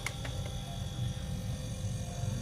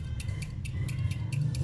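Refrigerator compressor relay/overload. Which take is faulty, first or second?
second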